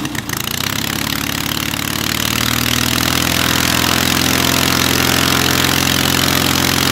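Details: Hummel Engines 45 hp half-VW aero engine, first start, oil pressure too high, idle possibly set a little low: catches and settles into a smooth, even run with steady pitch, no misfires; normal running.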